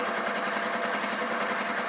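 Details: Old Polaris ATV at idle with a weak battery reading about 12.6 V; steady, even buzzing idle with fast regular firing and no knocks or stumbles, engine sounds healthy.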